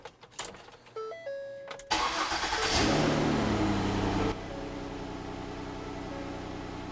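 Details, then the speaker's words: 12-year-old 2012 Ford Escape started after exhaust repair with new donut gaskets and a patched muffler: starter cranks, engine catches and settles into a smooth steady idle, quiet exhaust with no puffing or ticking leaks. "Normal enough for me, I guess."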